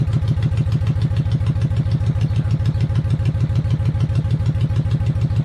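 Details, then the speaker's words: 1995 Honda VLX 600 V-twin motorcycle after carb cleaning, idling with crisp, regular, evenly spaced thumps about three per second; smooth healthy idle, charging at 12.2 V while running. "alright so the bike is idling which is pretty damn cool at this moment"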